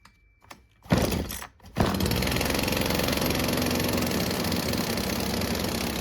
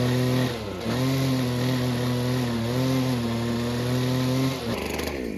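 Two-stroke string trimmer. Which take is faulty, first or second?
second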